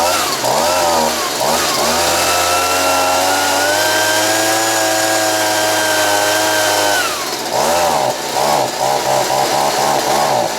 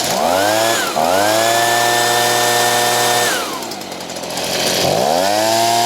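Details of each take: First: Stihl BG55 two-stroke leaf blower, worn, carb kit replaced, screws about 1.5 turns out: revs cleanly when cold, then bogs and surges once warm; caused by air leak at crankshaft seal (part 9639 003 1230), replaced as fix. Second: Stihl BG55 two-stroke leaf blower, fully warmed up, after a crank seal replacement with the carb screw at 1.5 turns. It previously bogged when hot. Now it revs crisply, holds a steady high pitch, drops to idle and revs cleanly again: fixed.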